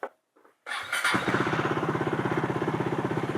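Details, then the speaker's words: KTM Duke 390 (2017–2020) with a ride-by-wire throttle fault after pressure-washing (code P2127), now showing zero ECU faults. The starter catches quickly and the single settles into a steady idle thump, about three beats a second. The check-engine light has cleared. "So, wala na yung check engine. Nawala na siya. Ibig sabihin, na-clear na natin yung fault."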